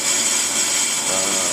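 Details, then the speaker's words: Willys brake drum on brake lathe, last pass at slow feed setting six: even, unbroken high scraping hiss with no gaps or chatter, good cut all the way around; steady continuous cut. "okay this the last pass and you can hear we're getting a good cut all the way around"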